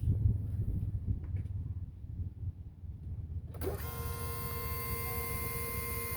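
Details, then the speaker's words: Diesel truck after a fuel filter replacement, heard standing next to the fuel tank: silence, then a click and a steady high electric whir as the key is turned on and the lift pump refills the filter bowl; normal priming. "All right, now you're going to have to fill that bowl back up before you can do anything. So if you stand right there next to the fuel tank, you'll hear it."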